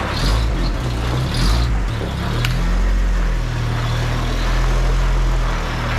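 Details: 1985 Toyota 4Runner just after an engine rebuild, runs unevenly with a wavering low rumble then dies; cause later found to be an unplugged connector behind the ECU.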